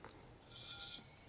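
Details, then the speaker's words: FX Maverick air rifle with dual regulators, second regulator turned counterclockwise from 60 toward 150 bar for high power; a short high hiss of air, about half a second, as the regulator opens up and pressure rises. "you hear it opening up increasing direct pressure it's about 80 100 about 150"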